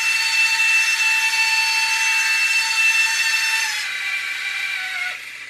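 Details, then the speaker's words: U809 Air Attack toy RC helicopter after LiPo change: thin high motor whine that sags and fades as a pinion gear slips on the motor shaft; fix is super-gluing the pinions back on. "one of those Motors is slipping isn't it we can hear it whining"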